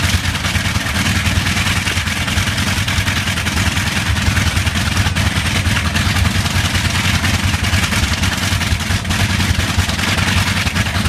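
Loud, rough, steady running roar with an uneven beat underneath, pointing to a slight misfire on one of the cylinders.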